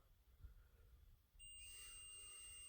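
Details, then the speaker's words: Bench grinder that smoked while plugged in and switched off, switch tested with a continuity meter: quiet bench, then a steady high beep lasting over a second. The switch legs stay connected in the off position, so the switch is shorted. "When it's on, the wire is supposed to be connected together. When it's off, the wire is not supposed to be. And you can hear we've still got some kind of continuity issue."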